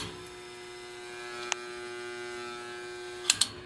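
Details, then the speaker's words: 1950s Patton 18-inch fan with 3.2 A GE single-bearing shaded-pole motor, after rattling on low: steady hum with faint clicks and little airflow as motor slows down on low speed; bearing noise problem. "I turned it up to high and I turned it back to low and it started slowing down this is all we get"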